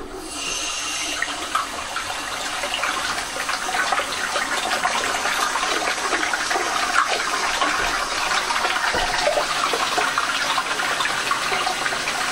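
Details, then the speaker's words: Old toilet cistern after replacing the part 1 float valve with a part 2 high pressure float valve: strong, even water rush settling into a steady quiet refill hiss, no hammering or squeal; full, normal flush, much quieter than before. "yep got ourselves a nice full flush so that's it for today's video"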